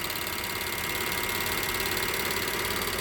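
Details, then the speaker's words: Direct-injection engine at idle, before a diesel engine flush, no check-engine lights: quick, sharp ticking about three per second over a calm idle. This is the covered high-pressure fuel pump, loud but normal. "A lot of people were complaining that it was making a lot of noise when they don't understand how these new engines work. This is a high pressure fuel pump. They're very loud."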